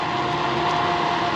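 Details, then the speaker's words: Solar P1 3.0 electric scooter climbing a 15-degree (30%) grade at Pilot Butte, Oregon: steady electric hub-motor whine under hard uphill load, pitch holding as speed holds around 32 mph then eases to 29; normal. "And the motor's starting to whine a bit. But we so far haven't dropped speed. We're maintaining pretty good speed at about 32."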